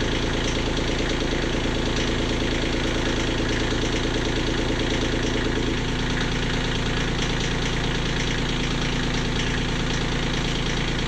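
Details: Kioti CK20HS diesel tractor idling after injectors were cracked to bleed air: steady, even clatter with a constant low throb, no misses or surging. Owner is still unhappy with the fuel pump and will check overnight prime loss.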